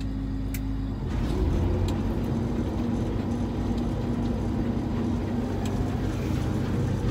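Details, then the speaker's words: Farm equipment separator, switched on briefly to blow debris out: a steady low roar with a faint dry rubbing whir beneath. Owner thinks something needs grease; cause not confirmed. "Sounds like something needs grease."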